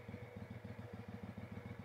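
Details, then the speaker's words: Kohler Command CV22/CH22 23 hp V-twin after swapping factory SAM ignition back to standard non-advance coils (it had lost spark on both cylinders once warm): started with a little choke, then an even steady idle, no misses or rattles; runs great. "get a little bit of choke oh yeah she runs great rare down to idle here"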